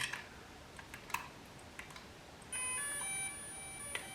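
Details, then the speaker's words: DJI Mini 2 drone, charged, powered on by pressing and holding the button; a few clicks, then a bright multi-note chime lasting under a second in a quiet room. Normal power-on. "till I hear the sound. That means this is on now."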